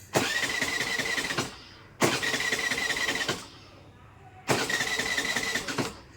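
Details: Scooter that suddenly won't start, key on, petrol present: three cranking bursts about 1.3 seconds each, starter spins evenly but engine never fires; crank no start, no spark.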